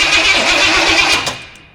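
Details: Studebaker's first start attempt on a weak scavenged battery, spark present: the engine catches with a short, ragged burst and fades within a second, firing but not running; owner suspects it wants more fuel.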